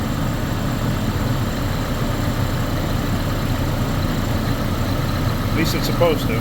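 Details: Chevrolet Colorado with an extended-crank complaint after sitting; owner suspected fuel or the crank sensor. Idling with a fuel gauge fitted reading 60 psi, steady, even low rumble with no misses or knocks; normal idle, fuel pressure not the cause.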